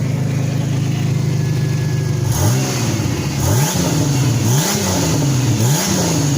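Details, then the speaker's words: Turbo petrol Chevrolet Venture van idling steadily and revving cleanly three times after a new wire was run from PCM pin 30 to the number five injector, fixing the dead misfire from no injector pulse. "all right got the new wire ran to the number five injector [Music] much better"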